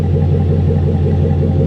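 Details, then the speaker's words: Truck with a 5.3 liter V8, 240-some thousand miles, alternator apparently replaced, at idle: deep, smooth burble, even and steady with no ticks, puffs or rasps; normal idle exhaust note. "It sounds good, though. It does. It sounds really good."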